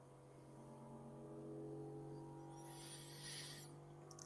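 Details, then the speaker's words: New Aliencell X1 40 W laser engraver during first setup: the head vibrates rapidly back and forth at varying frequencies, shaking the table, with humming tones rising into a deeper roar like a revving sports car; normal calibration vibration sweep. "Like it's vibrating the whole table. So, it's it's it's calibrating kind of like what you know. Oh, there it goes. Yeah, you can hear it."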